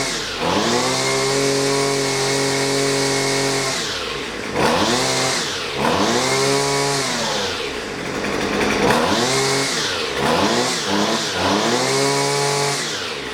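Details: Husqvarna 128LD two-stroke grass trimmer bogging on throttle: revs climb then sag and stumble between blips instead of holding; carburetor mixture adjusted, left screw with adjustment tool, after checking primer bulb, fuel and fuel lines.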